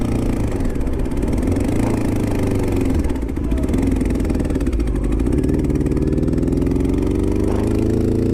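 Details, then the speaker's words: 2002 Honda CBR600 F4i with a rough, clattering, lawnmower-like idle and metallic knocking. It is losing power and possibly misfiring; the owner fears the engine is blown, cause unclear. "My bike is done. She's knocking. I blew it up. Oh yeah, she's losing power. Misfiring or knocking or something. Sounds like a fucking lawnmower."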